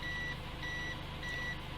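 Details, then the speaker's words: 2017 Toyota C-HR with a newly installed SkyBrake contactless immobilizer with motion sensor, engine idling: high beeps repeat about every 0.6 s, warning that the tag is not read. The immobilizer will cut the engine once the car moves. "antidémarrage dit cette étiquette nous ne lisons pas, et après qu'il maintenant peut éteindre le moteur, si l'on commence à se"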